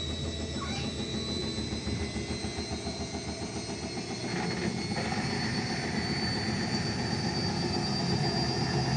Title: Indesit Mega Unbalanced Final Spin Ramping up 0-1000 (Bad Bearings)